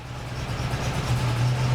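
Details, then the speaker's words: Jaguar Mk2 coupe with a freshly rebuilt V8 3.5 engine; a steady low V8 note with a slightly lumpy exhaust beat, misfiring and barking at higher revs and full throttle, cause unknown. "She's got a bit of a misfire for some reason. It picks up but then it as you get on to the higher revs and it starts barking out in full throttle."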